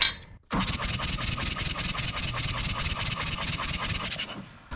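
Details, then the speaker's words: John Deere 1010 track loader diesel cranking: the starter spins fast and light at about five even beats a second with little resistance. Compression tested 200–280 psi dry, up to 330 on some cylinders, against 300+ needed; low compression, stuck rings thought unlikely. "I got between 200 and 280 PSI for a diesel to run generally you need 300 you want more than that though"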